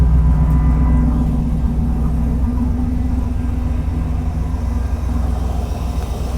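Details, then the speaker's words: 1948 Mercury pickup V8 after its first start in 50+ years, good oil pressure; deep, even burble with smooth revs and no misfire; slight hesitation on startup, owner suspects the mixture is a little off. "So, Mercury is running and pretty good, I might add. has a little bit of hesitation on startup, but if I really give it gas, it starts up."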